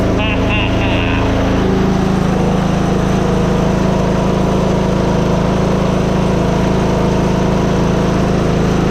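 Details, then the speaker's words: Free Simplicity riding lawn tractor after a new fuel filter and fresh gas. The small single-cylinder engine holds a steady, even putter at constant speed with no surging or missing. Normal healthy idle. "now it's time to go on a test drive break down key doesn't sound too bad for free if you ask me"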